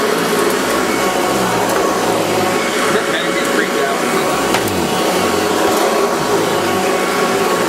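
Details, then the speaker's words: Hoover Decade 80 vacuum: steady motor roar with lower drone sagging and wavering as the brushroll slows; owner suspects a worn belt. "I think the belt's getting worn down because that's why it slows so much down when it comes down. Sounds like it's purring."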